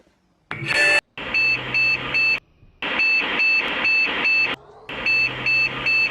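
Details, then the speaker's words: Phoenix BIOS beep code 1-3-4-3: a single beep, a pause, then three, four and three short high beeps, pointing to a memory fault. "one three four three big code pattern another memory issue"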